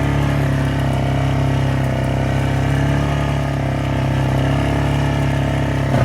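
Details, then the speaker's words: Yamaha Grizzly 600 ATV revived after sitting upside down 25 ft underwater overnight, oil changed, new electrical: steady, even single-cylinder beat at idle with smooth low thrum, no knocks, misses or rattles; running normally, considered fixed. "so I'm going to go ahead and say that this thing is fixed went from 25 ft underwater to running again so it's good"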